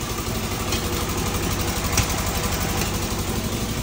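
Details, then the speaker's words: Fiat 126p two-cylinder engine with milky oil; uneven idle with irregular coughs about four pulses a second, nearly stalls on throttle, exhaust smoking; owner suspects blown head gasket, loose exhaust or ignition; rough running with coughing. "gazu dodam jak gazu dodaje to chc Gasnąć tu się od wydechu dymi"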